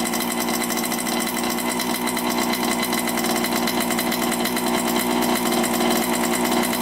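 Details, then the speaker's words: 1987 Honda CR80 two-stroke on first start after carburetor rebuild and air filter cleaning, started on choke: crisp, rapid, steady buzz with no stumbling or dropouts; sounds pretty good, healthy running. "all right so that sounds pretty good I didn't really help much but it's good to have that there"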